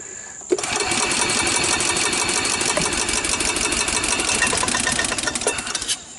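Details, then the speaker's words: 1993 Club Car golf cart, rarely used, micro switch bypassed, transmission in neutral: fires a few seconds with a fast rattle, then cuts out; owner suspects carburetor sludged from sitting; hard start and stalling. "so as you turn it over turn it on first then turn it over it'll kind of fire for a second or two and then stop even if you hit the button"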